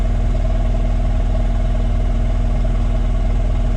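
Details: 2016 Takeuchi TL12 V2, Kubota V3800 diesel idling during injector stop test with cylinder three cut: heavy, lopsided chug near four beats a second, drastically down on power; cylinder three is working.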